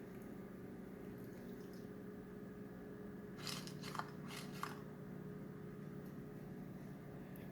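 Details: Amazon Echo (Alexa) making strange noises and unresponsive, starting randomly: low steady hum then wet squelchy bursts from the speaker; cause unknown.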